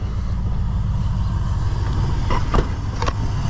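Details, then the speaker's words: 2001 Chevy Silverado 1500HD 6.0 LQ4 V8 just after installing BBK shorty headers, with MagnaFlow muffler and factory cats: deep, even idle with no ticking, exhaust leaks or misfires. "Doesn't sound like there's any leaks. Looking good. Don't hear any misfires, nothing's leaking again."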